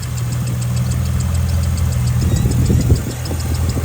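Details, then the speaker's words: Ecotec skid car engine, once seized, after the misfire was fixed by reseating an injector connector: light, quick ticking or squeak over a rough low idle, in step with the engine; owner suspects a loose rocker, unconfirmed. "bit of a squeaky noise I don't [Music] know might possibly be a loose rocker don't like the sounds of that though we'll see"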